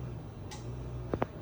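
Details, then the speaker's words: 52-inch Halsey Builder ceiling fan on high speed, lightly used, some blades bent, visibly wobbling: soft hum with two sharp ticks; blades suspected loose. "high speed sounds like the blades are a little loose and it does wobble"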